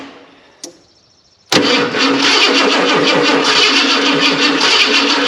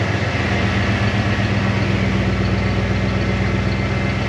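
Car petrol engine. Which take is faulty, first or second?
first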